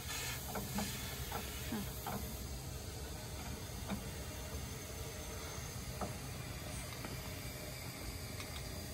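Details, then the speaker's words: 1989 Crown Supercoach bus at mechanic's, with unresolved main air leak: steady soft hiss of escaping air under faint knocks while a brake air line is disconnected, before being reattached. "okay what is that i hear air oh he just took that he's going to put that line back there he's going to put it back on"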